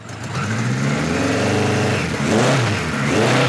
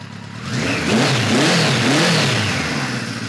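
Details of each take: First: 1973 Kawasaki Z1 900 with new 4-into-4 exhaust, warming up on enricher after jet changes: blips up and falls back, with a small sharp pop as the throttle first cracks; lean off idle, which should not happen. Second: 1973 Kawasaki Z1 900 with newly fitted 4-into-4 exhaust and jetting being tweaked, enricher just switched fully off, cold-blooded bike; crisp rev climbing and settling smoothly, all cylinders pulling evenly with a clean exhaust note; runs healthy.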